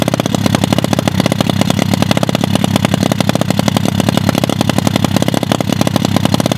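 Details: Lake-recovered mini pit bike, engine water-filled, fresh oil, ethanol-free 93 fuel, first start: single cylinder pops along at steady, slightly ragged fast idle, still clearing itself out as WD40 burns off; normal running.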